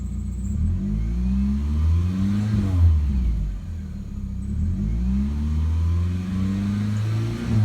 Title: 2000 Mitsubishi Eclipse GTS 2.4L 4- Cylinder Start Up with exhaust leak